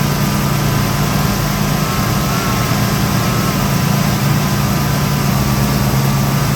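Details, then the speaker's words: 1969 Pontiac Firebird V8 with fuel starvation to front carburetor bowl; tank cap was tight and built pressure, line changed, still no fuel to front bowl even with cap off: steady idle, even low rumble, faint high whistle; sounds good, cause unclear. "So if it, this ain't like working on my race car. Sounds good anyway."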